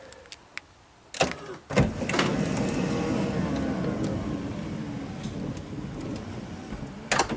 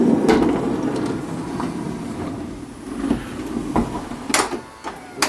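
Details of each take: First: 2005 Honda Odyssey passenger-side power sliding door after rolling hinge replacement and cable reseating: a clunk on unlatch, a quiet even glide and a soft latch, with no scraping. Normal operation after repair. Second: 2005 Honda Odyssey passenger-side power sliding door: motor hum with irregular bumps, scraping and sharp knocks as door travels; worn sliding roller hinge, to be replaced.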